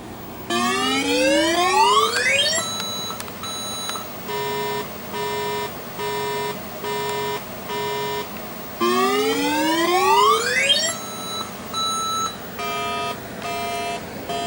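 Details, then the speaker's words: 1983 Atari Crystal Castles arcade PCB self-test after replacing RAM at 4F: rising sweep, then repeating high and low beep bursts twice over; code still indicates the same RAM failure. "It's doing the same thing. It's telling us that that same RAM is no good."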